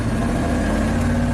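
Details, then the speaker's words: 1987 GMC Sierra V8 plow truck, previously stalling on throttle, after fixing a bad ground at the spark module: deep, even roar at full throttle on a roughly 20% steep driveway climb, no misses or stumbles. "Woo-hoo. Oh yeah, sounds like a beast. Hasn't skipped a beat yet."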